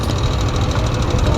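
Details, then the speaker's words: Lexi engine rebuilt elsewhere with new 60 pistons: a fast, regular light knock over a loud idle at roughly seven per second sounds like crank knock, but teardown, which was suspected and then found, showed a broken cam bearing. "หลังจากออกจากร้านนะครับก็จะมีเสียงแบบนี้นะครับอันนี้ผมไม่รู้ว่าทำที่ไหนมานะครับก็มีเสียงเหมือนอาการข้อเหวี่ยงดังนะครับแต่จริงๆแล้วไม่ใช่อาการเสียงของข้อเหวี่ยงนะครับผมก็ทำการรื้อนะครับสันนิษฐานไว้เบื้องต้นคือลูกปืนแคมแตกนะครับ"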